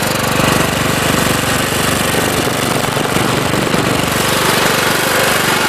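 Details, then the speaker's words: John Deere LT133 mower with Kohler Command engine, hard to start (owner suspects gummed carburetor): loud even chuffing at steady rate, no knocks or misses; runs healthy once started. "It runs like a top. It sounds really good. I would assume it hasn't had any major work done to it. Sounds good."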